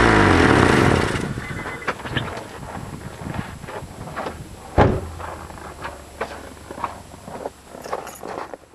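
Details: Honda: loud rev fading to low engine hum with uneven puffing ticks and thunks—suspected exhaust leak, not confirmed.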